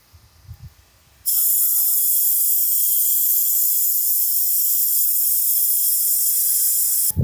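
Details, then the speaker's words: 1991 Cummins Big Cam NT 88 aftercooler under shop-air boost test: sudden loud steady hiss holding six seconds; boost leak from an intake boot not seated correctly, later holding 30 lb. "the leak up there ended up being the boot that wasn't quite on there correctly"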